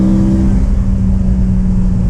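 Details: BMW E92 M3 S65 V8 on first drive after replacing the exhaust manifolds (headers) that had caused permanent limp mode since a track day, car sat nine months: deep strong steady V8 note under throttle, no ticking or exhaust leak; healthy, repair successful.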